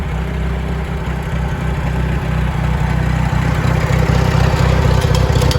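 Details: International Harvester 424 utility tractor, 4-cylinder gas engine with oversized carburetor jet (smoking a bit more), idling not yet warm: deep, regular idle with even low pulses, no knocks or misfires; good oil pressure, runs well.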